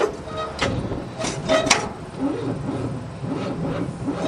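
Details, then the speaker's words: Old loader first start attempt since 2001, jury-rigged battery, no hood: slow, heavy, uneven cranking about twice a second, engine drags and never catches; owner suspects battery connection or seizing engine, not confirmed. "She's awful tight. Well, I think I gotta see if it's a battery connection or a seizing motor."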